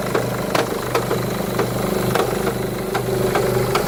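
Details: 2011 Mercedes E200 W212 at idle in Park, heard from inside the car: erratic metallic rattling, loudest in Park or Neutral, mostly subsiding in gear, more audible under the bonnet, smoother near 1500 rpm; cause undiagnosed.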